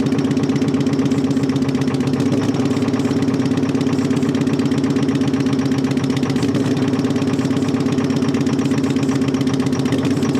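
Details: Terex 80-20 diesel after sitting 30 years: steady loud, uneven clatter around four beats a second while blasting oil out, earlier noted slobbering; rough running, cause not confirmed.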